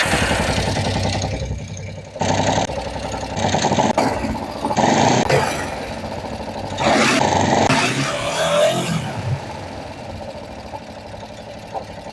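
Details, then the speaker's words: Kawasaki Vulcan 500 twin, carburettor screws factory-sealed so left unadjusted, after valve adjustment: catches after a few cranking bursts, blips, settles to steady even idle; running fine, normal idle. "de todas formas lo he arrancado y está bien os lo enseño Mirad mira"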